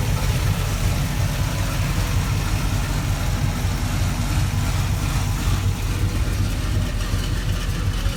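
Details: Chevrolet C10 truck V8 as bought, before the rebuild: deep, even idle burble holding steady with no knocking, ticking or misses; engine sounds healthy.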